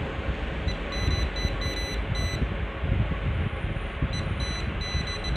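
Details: Sunfree voltage tester pen held on a wall socket's live conductor: quick bursts of high, thin beeps cut in and out over a rough, windy hiss as the pen detects the live wire.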